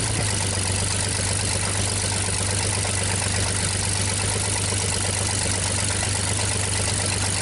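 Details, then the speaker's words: 1960 GMC V6 305 cubic inch engine, first start after sitting unknown time, exhaust pipe crushed under pan: even steady idle, deep thrum, no misses or knocks, no smoke; sounds healthy. "sounds awfully good to me no smoke at all"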